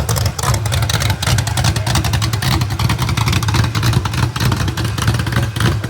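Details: Rebuilt genuine 1970 Corvette LT1 V8, being built for a 1957 Chevrolet Nomad; loud deep burble rising and falling with throttle blips, firing even and steady with no knock or tick. Normal running and revving.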